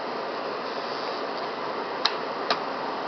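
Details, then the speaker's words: 1969 Westinghouse 8,000 BTU, 115 V air conditioner on low fan: a smooth, even airy rush with only a couple of faint ticks or rattles; the fan runs quietly and sounds healthy. "Anyways, it's not loud at all, and even on high to low, there's not much of a difference, and you get a little bit more airflow."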